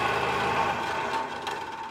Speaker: second resonant frequency for the two degree system it's quite loud there's lots of motion it's approximately 26.7 Hertz and in this case the two masses are moving away and towards each other like this